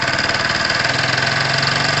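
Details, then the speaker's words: Tamoretti Retro scooter/moped, warming up at idle: small single ticking over with a fast, light rattle on each beat from down low; owner thinks it is outside the engine, something loose-ish, maybe the rollers on that side, unconfirmed. "um there is a rattle down here that annoys me i don't think it's inside the engine it may even be could be a near source um it isn't anything i'm hugely worried about um it sounds like something is loose ish but"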